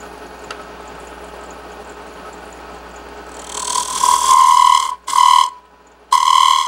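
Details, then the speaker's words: Woodturning a wooden wine glass stem on a lathe with a small round tool: bright hissy cutting bursts with a ringing high tone, signalling the wall is thin. "You can hear the sound that's making. So you know you're thin."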